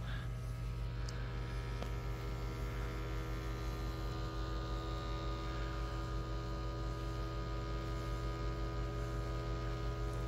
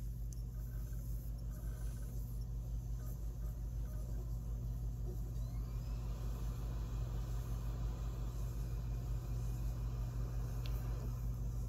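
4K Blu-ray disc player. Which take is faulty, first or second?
first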